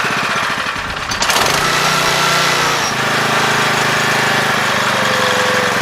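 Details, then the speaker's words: 7 HP Kohler air-cooled engine on a hydraulic power unit, freshly carb-cleaned after two years unused: uneven, hunting idle that dips and wanders near stalling; idle speed and air screw need readjusting. "I know while we're stalling out we need to readjust that either screw"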